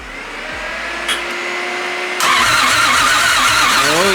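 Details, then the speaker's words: Built 1JZ-GTE swapped into a Nissan 350Z, before first start: the starter now spins the engine over with a steady whir, no clicks or grinding. It had not cranked because the chassis-harness ground plug to the starter was unplugged. "yeah baby it cranks over"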